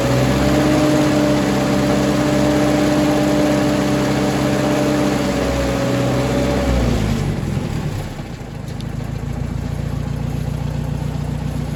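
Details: Ford 961 Powermaster tractor after ignition (points) repair; it had previously been firing only one cylinder randomly. In neutral: an even, steady idle with an unbroken beat and no misses or knocks for about seven seconds, then the engine note drops away; normal idle.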